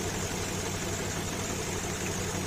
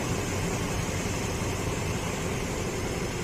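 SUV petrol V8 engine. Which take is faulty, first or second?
second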